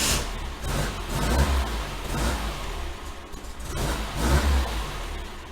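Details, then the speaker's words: 1966 VW Type 3 Fastback with a 6-volt system, after installing a hard start relay kit, new starter and cleaned grounds: it cranks briefly and starts cleanly on every key turn, with no clicking or hesitation. "every time i turn the key it cranks over which is a nice nice feeling so i'd say the hard start relay on a six-volt volkswagen for the win"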